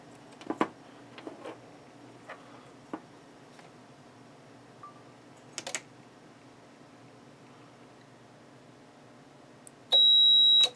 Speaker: I heard a little crack before it did that thing, so I think it might have actually arced inside the relay.